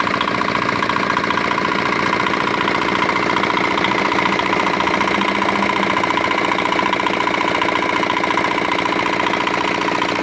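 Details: Rebuilt old, modified Chinese R180 single-cylinder diesel for wood splitting, earlier prone to bearing knock/seizing despite a new crankshaft: quick, consistent chugging pulses with no rattle or grinding underneath; sounds healthy and settled after repair.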